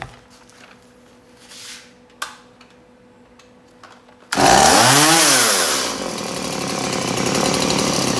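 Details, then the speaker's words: Stihl MS180C chainsaw on 50:1 mix after carburetor replacement, idle screw adjusted: starts, revs up and drops back to a steady, even buzzing idle, running healthy and settling cleanly. "so i think i've got it now to a spot where i like it let's fire it up and i'll show you"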